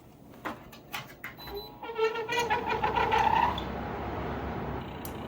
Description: Our Seville tower fan started squealing because the bushing was spinning in the rubber mount rather than spinning on the shaft.